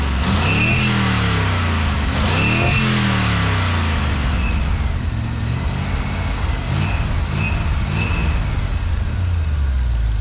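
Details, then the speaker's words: 1955 Ford pickup with 1965 Ford 289 4-barrel V8 and 4-speed top loader: smooth, even idle and revving on all eight after readjusting to 15 thousandths; warm idle oil pressure 40 psi, about 55 revved; slight blow-by remains. "so we readjusted those and uh it's a lot smoother now which I'll show you here in a minute"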